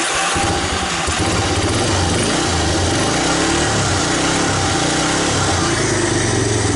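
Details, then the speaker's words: 1985 Honda Big Red ATC250ES single-cylinder trike after mice damage and carburetor work: starts and runs uneven and blubbery, rich on choke; with choke off, even warm, it peters out. Suspected clogged idle circuit/jet. "and it'll run with the choke on, but you hear it's rich. But if I let it off, and even when it's warmed up, it just peters out."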